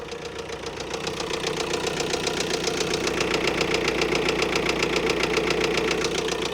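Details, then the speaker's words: 2021 Ford Transit diesel van bought as a non-runner, just started on four cylinders: hard, even metallic knocking about 220 a minute over a rough tick-over; sounds like top-end damage, judged toast. "top end's a bit Taffy she's a bit knocky don't sound too good at the minute but it does sound like it's top end"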